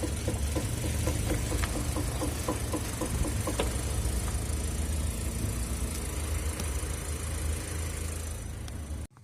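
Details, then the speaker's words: Mitsubishi Pajero iO: rapid irregular knocking from underneath, about four a second, over the engine and then fading. The owner suspects the driveshaft universal joint; on removal it is found ungreased and rusted, likely the cause. "Смазки нету и всё заржавило. Скорее всего, вот это и стучало."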